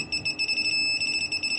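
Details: PeakTech P 3432 non-contact fuse finder: fast, shrill chirps run together into a brief steady tone; receiver has locked onto the breaker feeding the plugged-in socket, fuse found.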